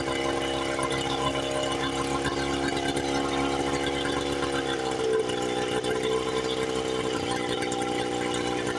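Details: 1976 Johnson Seahorse 9.9 outboard, very low hours, stored 30+ years, first run after carb and pull-starter repairs, on a flush attachment. A steady, even two-stroke buzz with no misses, carburetor unadjusted. No telltale water flow, so thermostat or water pump is suspected.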